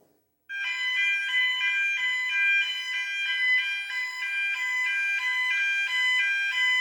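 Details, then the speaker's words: Fireco Freedor SmartSound push-side hinge-left door holder tested with building fire alarm: loud, high pulsing tone starting suddenly and repeating evenly, warning the door will shut; working normally. "So it's sounding a warning tone just to say the door's going to shut."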